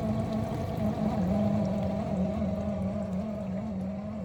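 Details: Miele G6625 dishwasher bought April 2018, about 7.5 years old, filled with water, filter and non-return valve clear: rough wavering hum and whine from the circulation pump motor at the bottom; owner suspects debris in the pump or failing motor bearings.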